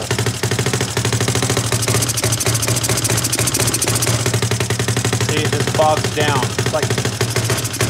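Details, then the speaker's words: CFMoto 250cc 172MM GY6-type single after head rebuild and valve adjustment: idles fine but sputters and brums under throttle with choppy uneven popping; unchanged after rebuild, so not a valve problem; cause suspected, not confirmed. "It idles fine. It starts up, it idles, and it idles beautifully. But then when you try to go give it gas, it just wants to like sputter and brum brum brum."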